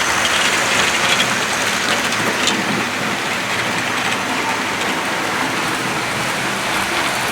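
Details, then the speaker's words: Model train of the APT-E prototype running at speed; its power cars are very rattly by design, not faulty: light busy rattling and squeaks over the fast hissing run along the track. "So it's going to be a little bit noisy today. We've got a few rattles and squeaks and all sorts going on."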